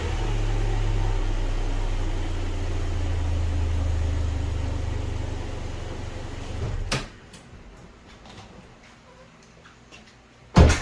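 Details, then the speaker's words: Subaru after fixing exhaust heat shield rattle with a band/hose clamp: smooth steady petrol engine running, no exhaust rattle, then shutoff. "all good, noise is gone. Easy fix."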